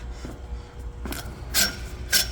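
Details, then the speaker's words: Twister T4 trimmer pre-run inspection, helix blade turned slowly by hand against the bed knife: a few light metallic ticks show clean, even contact on both parts of the blade before the paper cut test. "you can hear it it's making contact so from then we can do a paper test make sure it cuts paper"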